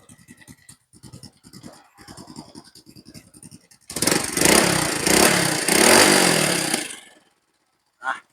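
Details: Honda Wave 100 S 2005: soft, steady idle pulses, then a clean strong rev falling back smoothly before shutdown; ignition firing properly.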